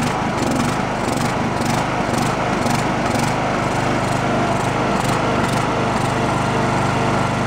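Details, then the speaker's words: Abandoned Poulan Pro riding mower single-cylinder, valves roughly adjusted, blown head gasket suspected: a lumpy, surging run of about one pulse a second, only running on choke with no idle circuit in a messy carb, no bottom-end knock. "carbs and mess it only run on the choke you can see where we had no idle circuit and it was just trying to die"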